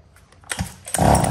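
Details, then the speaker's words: Husqvarna 39 chainsaw, Swedish-made two-stroke: a short pull, a couple of catches, then it fires and settles into a strong, even buzz; seller says it runs very smoothly; healthy start. "em có tiếng máy móc nổ được tinh khủng cho con này xài cực cái sướng luôn nổ rất là vì rất là bon"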